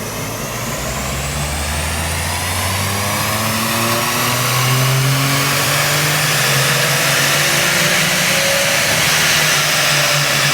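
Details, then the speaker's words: Subaru Levorg with built H6 engine, Haltech ECU, after downsizing to a smaller turbo, at wide open throttle; strong pull with pitch climbing smoothly, no misses or knocks; run possibly made 320 kW, healthy. "but motor sounds Hees better with the top T yeah it does wide open throttle let it"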